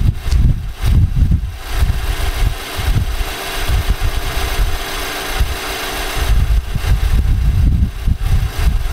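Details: 2018 Nissan Armada, earlier footage before short block replacement: heavy, uneven low clatter over a rough idle, sounding almost like a diesel; internal engine knock, fixed with a new short block.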